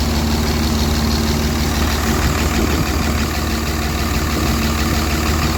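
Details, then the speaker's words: Cummins diesel on 48RE truck, after finding hand-tight injector tubes and changing fuel filter then priming: settles into even steady low clatter without stumbles, idling smoother than before: smooth idle. "I don't see anything. Sounds like it's idling smoother."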